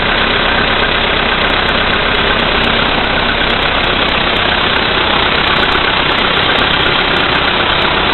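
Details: VW Polo Sedan CFNA engine, 2222 km, cold start at -5 °C after standing overnight, oil three marks below max, 98 fuel: cold idle with sharp regular tapping about three per second, worsening under lights/heated glass load; knock, cause unclear.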